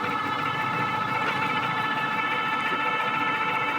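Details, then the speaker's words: Euphree Stellar Falcon e-bike on throttle only, accelerating to about 28 mph: steady high motor whine holding over wind and tyre noise, loud but healthy; normal motor whine at full throttle. "Throttle only, 17 according to 20 according to the Euphree display. You can probably hear the motor as well, 24."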